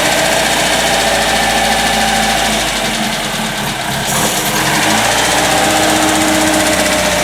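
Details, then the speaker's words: 1954 MG TF, engine rebuilt, dual exhaust, MGA 4.3 differential, started with fuel pump and a little choke: even, steady idle with regular light patter, no knocks or stumbles; smooth healthy running. "and here we go to turn over give it a little choke and she's running"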